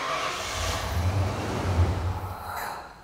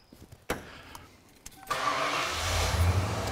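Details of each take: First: 37-year-old Ford Bronco with new replacement TFI-IV ignition module, timing set, PIP and SPOUT on scope: engine catches and runs rough about two seconds then shuts off immediately. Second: 37-year-old Ford Bronco with new replacement TFI-IV ignition module, timing set to 10°, scope connected: quiet clatter, engine catches after a second and settles to a steady, even idle with no stumble; normal start and running.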